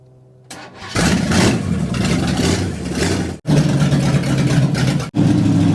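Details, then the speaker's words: 1960 El Camino, first start in 40 years, neutral safety switch bypassed and distributor timing still being tweaked. Loud, raw, blatty idle with sharp unmuffled exhaust pulses; running on open headers, which may overload the mic. "this is just open headers so it's pretty loud and it might be messing with the mic a little bit but we're trying to let it run get the juices flowing"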